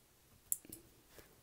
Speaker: okay so you can hear it clicking when that switch relay fires it'll provide power to here